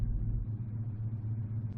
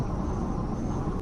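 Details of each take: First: 1985 Chevrolet Silverado K20 4x4, carbureted V8 idling about 650–700 rpm: deep uneven lumpy idle with slight stumbles, audible in exhaust, smooths above about 800 rpm; owner blames the carb, plans to replace it. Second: 1985 Chevrolet Silverado K20 4x4 with carburetor, 33-inch tires, on freeway under 60 mph: smooth steady low engine drone, no misses, knocks or ticks; engine runs like a sewing machine at cruise.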